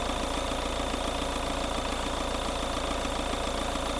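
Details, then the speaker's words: Diesel engine with heavy blowby after adding oil stabilizer additive, revved: even clatter about three and a half beats a second with no deep knock; heavy smoke but no oil in it; excessive blowby, no rod knock. "natin wala namang katok eh walang katok eh Sige sige rebolusyon nawala Oh nawawala oh Oh hinihigop eh pag Ang tindi ng usok pero ang isang nakakapagtaka doon Walang kasamang langis yung usok na yon"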